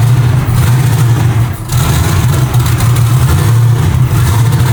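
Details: Chevrolet Nova V8 nicknamed Madam Misfire, low battery voltage: heavy, uneven rumbling idle with a brief stumble; runs rough on pump gas because its tune isn't dialed in.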